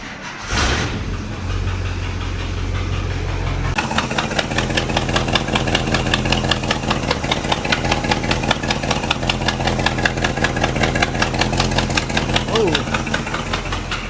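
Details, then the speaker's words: 1972 International 1110: after a rough start the idle carries a sharp, rapid ticking puff about two or three a second; confirmed exhaust manifold leak. "All right, it is most definitely a manifold leak as well."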